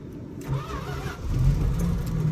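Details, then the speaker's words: Old farm truck in sub-zero Alaskan cold, after pouring a little gas in: slow, labored cranking with weak catches that doesn't settle into idle; hard cold start before it finally fires. "oh you hear that she's trying she's trying can't falter for trying now can you oh she'll start she'll start she'll start"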